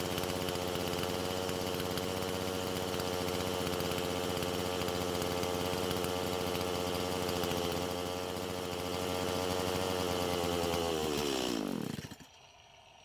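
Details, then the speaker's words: Stihl MS170 chainsaw with the fuel-line fitting wired tighter against a possible air leak: it holds a steady idle for about eleven seconds, then the revs sag and it dies, running twice as long as before but still stalling. "so this time it ran twice as long as the last time but it still stopped"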